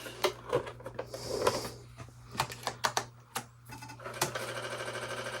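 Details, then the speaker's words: Apple IIc Plus floppy drive reading the Wavy Navy disk, drive light green: rapid ticking and clattering head steps in uneven bursts, then a steady whir, normal disk read. "Here it goes, reading. And we know it's reading because it's green."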